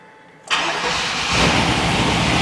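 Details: 1999 Chevrolet Suburban 5.7, towed in as a crank-no-start caused by a stripped distributor gear, now fitted with a new distributor gear: silence, then the engine catches at once and settles into a steady, even idle; normal start and idle after repair.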